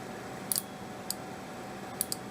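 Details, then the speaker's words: Seeburg jukebox mute trip relay, bench-tested with a current-limited DC power supply on the coil terminals while chasing speaker thuds: crisp, sharp clicks, some in quick doubles, over a faint hum; relay pulls in cleanly each time and works. "I've got my coil terminals connected on one side. I'm going to go ahead and complete the circuit, and we should hear a click."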